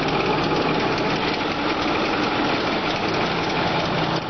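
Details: 2008 Ford F-350 King Ranch Super Duty, V8 Power Stroke diesel at idle: loud steady clatter with a dull knock mixed in the rattle; owner unsure of the knocking noise's source.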